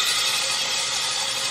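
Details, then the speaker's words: Cadillac Northstar L37 4.6L V8, customer-returned engine cranked with plugs out: harsh steady metallic grinding with no firing, starter grinding on a damaged flywheel. "I mean it turns over I expected it to do much more than that oh it's a lot faster look at that flywheel sounds terrible"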